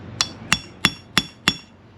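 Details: Wheel bearing job: inner race driven into hub with a punch and hammer, skinny side facing inwards; five evenly spaced blows, about three a second, each ringing sharp and solid as the race bottoms fully seated.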